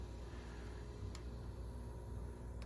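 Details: Trane TAM7 air handler with XR17 outdoor condenser, after the failed power controller board was replaced and the miswired thermostat white moved from W1 to Y1 for cooling: condenser starts with a steady low hum, no rattles or knocks, and runs normally.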